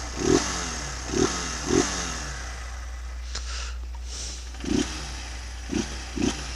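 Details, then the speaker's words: Honda CG 160 idling and revving after maintenance to fix engine noise, oil fully warm after riding; steady smooth idle with quick throttle blips rising and falling cleanly, no knock or rattle, very quiet; normal idle and revving. "Vou ligar aqui pra vocês verem como que tá, né? Já rodei uns km hoje, o óleo tá bem quente. E olha só. Olha o silêncio dessa moto, cara."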